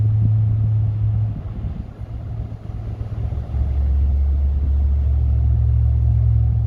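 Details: 2019 Ram truck, one year old and bought new, driving: deep steady droning hum under road rumble, fading then swelling back; low-frequency cabin drone present since new, dealer cannot replicate it, cause unknown and unfixed.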